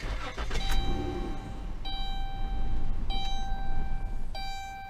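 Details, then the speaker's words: 2011-2016 Dodge Grand Caravan/Chrysler Town & Country 3.6L starts, runs briefly, then dies with warning chimes; the fuel pump relay, soldered inside the TIPM fuse box and not serviceable, is failing, and the fix is replacing the whole TIPM. "that's right it just died join me on my adventure as we look into this basically there's a relay up under here that you can't really get to it's soldered in and not serviceable but it's going bad"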